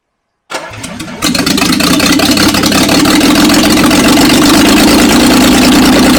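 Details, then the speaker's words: 1976 Jaguar XJ12 with newly installed V12, no exhaust fitted: cranks briefly, catches and settles to a loud, even idle with no misses or knocks; oil pressure gauge rises, no longer smoking, no unburnt-fuel smell; healthy idle. "we have oil pressure gug went up as well and actually sounded pretty good quite loud happy"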